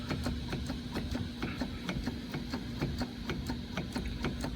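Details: 2001 Ford F250, just bought: sharp, fairly regular ticks about twice a second over a low engine rumble, felt and heard at the front end. There is a lot of play at the front axle; owner suspects a wheel bearing or spindle, unconfirmed.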